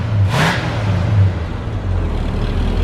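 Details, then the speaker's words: 1972 Ford Gran Torino 400 two-valve V8, back on the road after 17 years sitting, stock exhaust: low smooth even rumble swelling with throttle, no knocks or ticks; quiet, healthy running. "Make this puppy a little louder, but that's all right. That's how they come stock. Awesome. Look how quiet and smooth that is."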